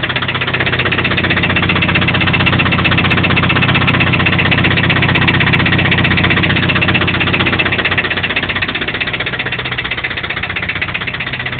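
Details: Toyota 22RE four-cylinder truck engine idling with a steady, regular knock, about four a second, over the running note; owner unsure whether it comes from the rocker assembly or deeper in the block.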